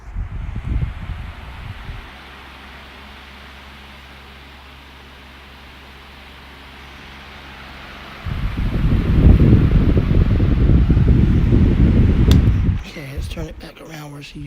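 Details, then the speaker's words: House to Home stand fan after cleaning the blade and guard, test run on high. Soft low hum, then a strong steady rush of air with no ticking or rubbing. Normal running. "give the fan a test run to make sure it blows air for my mom."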